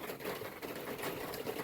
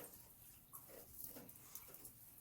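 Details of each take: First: Before new seamless gutters: water dripping off a dormer onto the lower gutter cover of a standing seam metal roof, rapid dense tapping like a sewing machine clattering; fixed with new gutters and Leaf X covers. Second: Rainwater dripping off a dormer onto the covered lower gutter of a standing-seam metal roof, after new seamless gutters and Leaf X covers were fitted: a soft quiet trickle with occasional drips, much quieter than before the fix.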